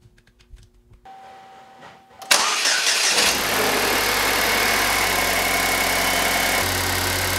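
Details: Pontiac Solstice after A/C compressor replacement: engine cranks, catches and settles into a steady, even idle with the new compressor running; no knocks or squeals, sounds healthy.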